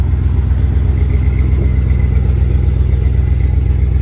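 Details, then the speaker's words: 1994 Jeep Grand Cherokee rock crawler, warm idle after new radiator, hoses, water pump, power steering pump and timing chain: low, even idle, steady beat about two pulses per second, no misses or knocks, engine doesn't shake at all; healthy. "engine doesn't shake at all i mean it really is a solid motor"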